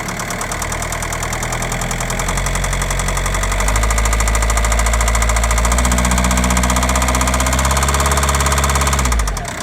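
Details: Audi A3 8P 1.9 TDIe 105 hp, BLS engine, 2009: steady fairly regular knocking over diesel idle, deepening as revs rise; source unclear, abnormal engine noise at idle.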